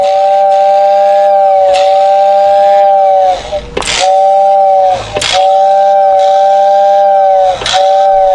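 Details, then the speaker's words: Lionel motor-driven air whistle, after fixing a short where two wires touched, tested before the shell goes back on: a clear two-note whistle held about 1.5 seconds, then hissy stops, repeating evenly; the whistle works properly. "So let's put the shell back on, and this one is ready to roll."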